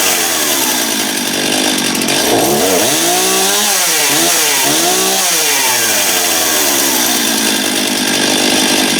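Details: Stihl MS271 chainsaw test run after replacing a badly worn, grooved clutch drum, recorded in the rain. It holds a loud, high, steady scream, drops and climbs back cleanly with no rattle or stumble; running healthy.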